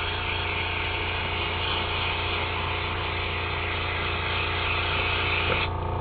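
Steady compressor hum under an even airy hiss, an airbrush spraying normally until the air shuts off.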